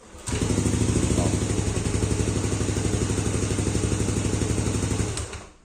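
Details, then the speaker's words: Fuel-injected motorcycle after clearing sensor error codes 22, 13, 15 traced to a faulty sensor socket, reset ISC setting and refitted injector, battery 12.3 V: starts on first press and holds a steady, even idle without stumbling; normal idle. "Nah, motor normal ya. Sekali di starter normal."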